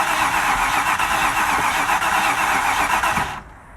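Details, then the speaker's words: Range Rover Classic LSE soft dash being revived: starter cranks steadily at about four beats a second but the engine never fires, with half throttle given to draw fuel in; fuel still needs to come up, cause not confirmed. "Clear. Yeah, it is going to need to get the fuel up"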